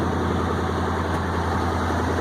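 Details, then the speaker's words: 1965 International Loadstar 1700 at first start: large petrol engine idles steadily with a deep, even rumble and no missed beats. A slight exhaust leak is heard on one side, and the owner suspects a vacuum leak causes its high idle. "Sitting there idling ever as pretty as pie. Idling just as nice can be. Look at that."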